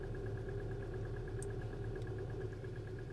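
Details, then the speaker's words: 2016 Hyundai Elantra 2.0 direct injection, P0017 cam-crank correlation, after short block replacement with old tensioner reused: quick light slapping tick at idle, exhaust and intake cam off one or two degrees; tensioner suspected. "so as you can hear that you can hear a it's like a slapping right and as you can see there it's like off uh maybe two or one degree in there"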